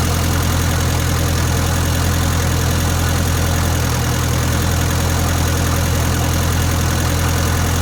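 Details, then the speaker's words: 1962 Land Rover Series 2A 109 2.25L diesel after setting valve clearances and checking timing: low, steady idle rumble, even and settled, no knock or stumble, much smoother than before; truck still has very low power. "now let's start it up with the valves actually set this time [Music] a lot smoother isn't it"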